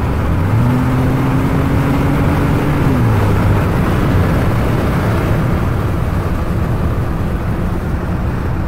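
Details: Ford EcoBoost at full throttle, deep loud roar with an uneven fluttering pulse underneath like an exhaust leak; dealer could not find the cause.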